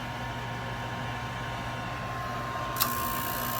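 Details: Used 92,000 BTU propane industrial shop heater, switch wires twisted together to bypass a suspected failed switch: even, constant fan rush with a faint steady tone and one brief click. Blower runs normally.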